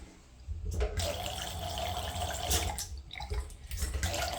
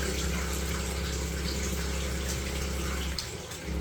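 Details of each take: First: Leaking tap blamed for house vibration, retested after smoothing the valve seat: steady rush of water, shut off twice briefly, with no hammering or buzz. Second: Noisy plumbing: steady low droning hum through the pipes over running water, briefly dropping out. Vibration stops whenever the leaking tap is opened, pointing to that tap as the cause; tap repaired rather than replaced.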